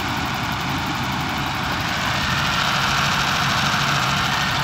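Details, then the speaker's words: Old BMW V12 beater with no OBD2, about 4,000 miles put on: steady, even idle with a smooth low hum and no knocks, misses or surges; running nice, idling cleanly. "running nice got all my lights working"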